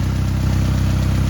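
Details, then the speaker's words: 1991-2003 Ford Escort/Mercury Tracer after fuel pump replacement (sending unit reused) and new fuel filter: steady, even low idle pulse with no misses, knocks or hesitation; normal idle. "There we go. That's a sound I haven't heard in a long time. That's what we wanted to hear."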